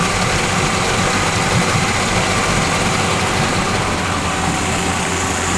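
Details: Yamaha 40 hp two-stroke oil-injected outboard, after a carburetor cleaning; it started on the first pull, smoky from excess two-cycle oil burning off. Steady, even burble with no misses or surging. Normal idle.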